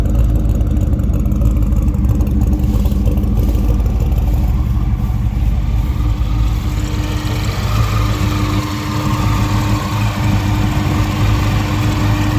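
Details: A supercharged 302 Windsor V8 with a non-intercooled Roots-style blower, during tuning: a deep, lumpy but steady idle with a constant blower whine and even firing. A healthy running engine.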